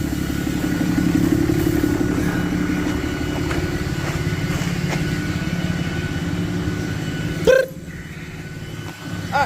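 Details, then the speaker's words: 4th-gen Ram 3500 Cummins, HE351VE turbo with failed actuator: heavy diesel rumble with a thin, steady jet-like whistle above it; variable geometry vanes stuck closed, no power, dumps fuel; turbo to be rebuilt. "Uh, my veins are stuck closed. Sounds like a jet. Makes no power. Dumps fuel into it."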